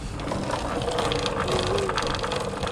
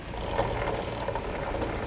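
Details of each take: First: Motorcycle chain after cover refitted, not yet lubricated, wheel turned backwards by hand; light even ratcheting tick, no grinding or heavy clunk, runs free. Normal chain drive, unlubricated. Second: Motorcycle drive chain while running: steady small-engine drone with rough, rattly mid-range chatter, louder when riding; noisy chain suspected from wrong tension (too loose or too tight), front sprocket to be flipped.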